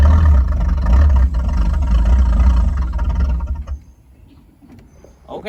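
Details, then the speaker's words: 1985 Chevy C10 305 V8 with new distributor, fuel from a jug, trying to move: V8 labours and sags under load, then drops near quiet; bogging, owner suspects timing still off. "it did try to move but it's acting crazy like underload so maybe it is still timing"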